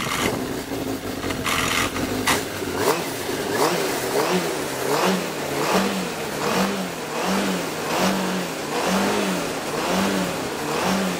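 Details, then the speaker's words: 2003 Yamaha RX-1 snowmobile, 7,383 miles, stored a couple of years: engine blipped in short uneven bursts about once a second, revs hang and won't climb cleanly; dirty carburetors cause poor idle and rough running. "uh carbs are a little dirty on it so it doesn't like to idle the greatest or uh tack out all the way but it's just the carbs are dirty on it"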